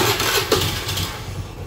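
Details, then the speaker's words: Honda Beat scooter, started on the stand with a used replacement fuel pump, sputters unevenly when the throttle first opens; idle won't hold and it stalls, but the sputter clears when revved. Cause: weak fuel pump pressure (spec 263-361 kPa). "Nah ini berebet-bet kayak gini teman-teman jadi merebetnya itu dia di posisi awal ya teman-teman"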